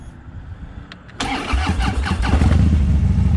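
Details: Harley-Davidson roadside restart after it stalled mid-ride; the rider had accidentally shut the bike off himself. A brief starter whir, and the twin catches within a second into a steady, even low rumble. Clean, healthy start.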